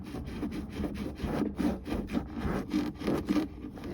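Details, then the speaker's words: Skoda Fabia 2 rear suspension: rhythmic creaking rub about three times a second as the body is rocked side to side, not up and down. It is the dry rear bump-stop buffer squeaking, not the beam bushings, and was cleaned and sprayed with WD-40. "это я уже тут зачистил и ВДшкой брызнул, а оно вот этот замечательный буфер, он тупо скрипел, репел жутко. Причём, когда машину не вверх-вниз, а со стороны в сторону раскачиваешь."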